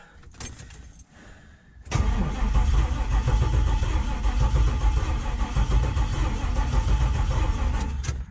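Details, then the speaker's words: LS-swapped Chevrolet C10, fuel pump fuse pulled, cranking during compression test: starter cranks steadily six seconds without firing, beat slightly uneven; one cylinder reads zero; dead cylinder. "so at this point we know I've got at least one dead cylinder could be a burnt valve could be out of time could be multiple things"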